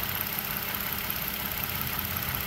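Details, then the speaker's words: 2014 Toyota Sienna idling with a missing vacuum line, setting system too lean on bank 1 and bank 2; an airy hiss over the idle, engine sound changes as a finger covers the open hole, fuel trims correcting; vacuum leak. "So if I were to put my finger over this hole here, I don't know if you can hear the engine sound. It's louder, it gets quiet."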